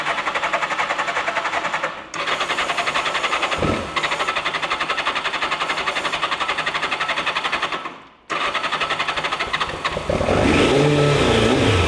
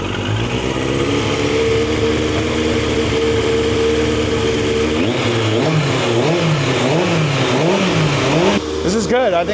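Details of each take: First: Turbo Yamaha motorcycle stored about 40 years, first start after fixing a leak: engine fires and stumbles, dropping out twice, then revs raggedly before faltering. Probably lots of oil in the exhaust pipes, making it smoke; rough running after long storage. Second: Turbo Yamaha motorcycle stored about 40 years, after cleaning debris from the carburetors: steady, even idle, then quick throttle blips that rise and fall cleanly; revs freely and runs faster than before.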